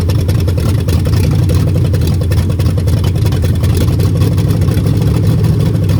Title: bad bearings on a mopar 400 big block.